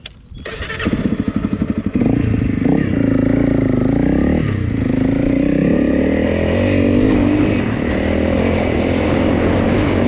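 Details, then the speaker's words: Honda CRF300 Rally single at idle after replacing cam chain, tensioner and followers; earlier noise (when hot, on overrun at low revs, louder after a 500-mile off-road trip) is gone. Fires with quick pops, settles to even thumping idle, no tapping. "Um but it's gone. So, I'm very happy. Seems to go okay. No other noises."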